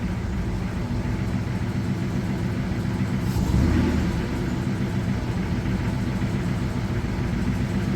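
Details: Ford Thunderbird V8 started after an engine pull and upgrades: a steady low rumble with an even idle and a brief swell midway, running smoothly and healthy.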